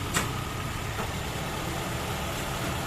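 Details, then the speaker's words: After engine refresh for heavy oil sludge (was knocking on cold morning start and when warm): quiet, even idle with soft low hum, no clatter or knock, faint click early; engine now runs smoothly, normal idle. "tahimik na. Sobrang pino na. Iba yan tunog yung rrrr."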